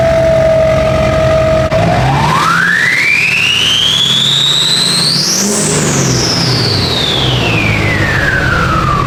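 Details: Diesel truck with RDS 9-blade turbo replacing one destroyed by running without air filter: loud turbo whistle climbs with revs, peaks, falls smoothly back; clean healthy spool.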